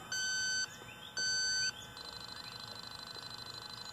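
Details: R-410A refrigerant leak at a solder joint on a new Rheem heat pump outdoor unit, under a year old; the Robinair LD7 detector gives two long beeps then rapid continuous ticking, reading into the yellow for a significant leak, also confirmed with an Accutrak ultrasonic detector.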